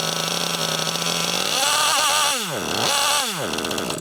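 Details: Losi LST XXL2 1/8-scale monster truck with a .31 cubic inch gasoline engine, carburetor set to stock specs on its first run at high elevation: screams high, then revs sag and recover twice in quick dips; bogs on takeoff, cause not confirmed.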